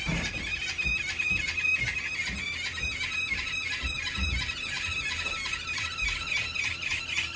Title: 2021 Wahoo Kickr squealing noise